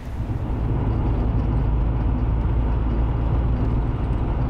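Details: Maserati Biturbo 4.24V V6 driving after final repairs, with the previously loud rolling noise gone: steady, even low rumble from engine and tyres and no heavy droning; normal driving noise.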